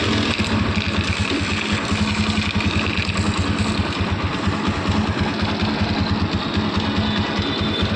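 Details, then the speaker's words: TVS Apache motorcycle engine idling with a harsh, clattery rattle over steady firing pulses; abnormal engine noise, cause suspected, not confirmed. "Friends आप लोगों ने सुना इसका engine का sound कितनी बुरी तरीके से आवाज है कितनी बुरी तरीके से इसके इंजन से आवाज आ रही है"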